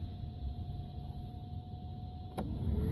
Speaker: second position you can hear it